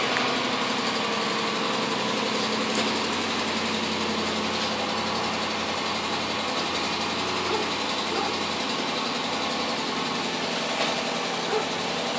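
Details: 2011 Jeep Grand Cherokee Limited 5.7 Hemi V8 at cold idle: light, quick ticking over the engine that fades after about 30 seconds; dealer found broken exhaust manifold bolts.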